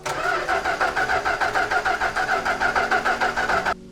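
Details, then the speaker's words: Old collector vehicle cranking on the starter about three times a second for nearly four seconds without catching while fed extra fuel; fuel is drawn into the filter but leaks out onto the engine, likely also drawing in air. "So, we drew fuel into the filter, but now we seem to be drawing fuel out of the filter onto the engine, which is not good. Uh, it means we're also introducing air probably."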